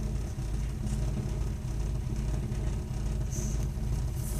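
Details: Gas-fired Burnham Alpine ALP150W boiler, about 3 years old, frequently makes a deep, uneven rumble with a loose pulsing roughly once a second while firing; cause of the rumbling not pinned down.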